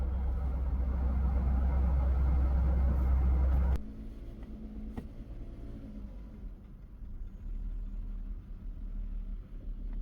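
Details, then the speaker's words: Mercedes-Benz W202 C280 petrol idling high: about 1000 RPM in park and neutral, dropping to about 500 RPM in reverse and drive; fast loud idle drops to a quieter, slower idle when the idle adjuster is pressed down. "On idle, the vehicle does idle quite high."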